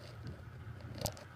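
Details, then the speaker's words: 1988 Sears (Encon) 42-inch spinner ceiling fan running on low: low, rough motor hum with scratchy irregular texture and a sharp click from horrendous worn bearings. "barings are horrendous on it um there might be a problem with it"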